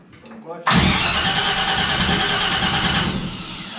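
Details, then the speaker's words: Henry J gasser being rewired, clutch in. A harsh cranking whir for about 2.5 seconds with no firing, then it dies away; cranks but won't start, cause unknown. "It would have popped. Okay, try disconnecting, which seems really weird to me."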